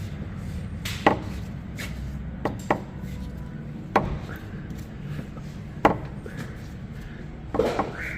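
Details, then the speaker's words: Tesla Model 3 electric car: irregular dry knocks and short squeaky creaks from the front suspension, traced to a ball joint creaking from water ingress; lower control arms being replaced. "спереди что-то скрипит сейчас будем искать и вот он скрип"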